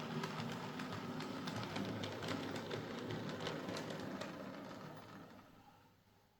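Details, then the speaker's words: Hornby Princess Coronation class Duchess of Devonshire model loco after repair; a failed shop repair had left it maxing amps and smelling of burning: steady fast whirring with even gear tick, no binding, fading as it pulls away; running smoothly. "there we are, that's this Hornby Duchess of Devonshire now running nicely."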